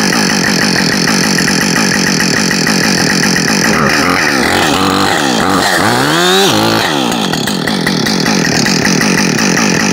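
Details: New Husqvarna 562XP Mark II chainsaw, first-ever run, warming up before timed cuts: steady high-pitched scream, brief dip on throttle then clean climb back; normal running, found its tune quickly.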